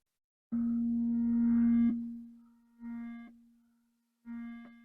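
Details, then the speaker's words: Commodore SID chip tested with a RetroRewind diagnostic cartridge: plain test tones fade and restart in short thin bursts, missing their full sweep; chip only partly working, worse than the other. "well that's interesting foreign tells me that this is a somewhat working said chip but not as good as the other from what I can tell"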